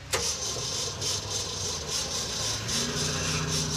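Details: Truck that died coming down a hill, with idle suspected too low, and puked out the bypass: the starter spins it over steadily with an uneven churning rhythm, but it never fires; cause not confirmed.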